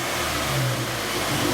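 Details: Toyota FRS/GT86 with new turbo setup and new headers, after oil line fix: engine held near 3,000 rpm with full, even drone and smooth exhaust note; normal running.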